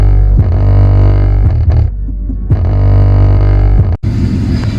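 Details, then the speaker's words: Mustang V6 sound system test, car running, doors closed, windows up, 1400-watt amp: heavy pulsing bass with buzzy rattling vibration because the speaker's seal to the base blew, subwoofer enclosure air leak needing reseal. "a big issue is it actually blew the sea hills to the base so we need to reseal it that's why you hear that vibration going on which is really annoying"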